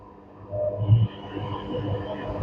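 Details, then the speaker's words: Panasonic washer with H27 door lock error, spin selected, 800 RPM setting: drain motor starts then drum spins anticlockwise with a low, even motor hum; smooth rotation, no knocking or scraping. "yes you can see the mod already got start drum is rotating and anticlock because I already uh select direct spin"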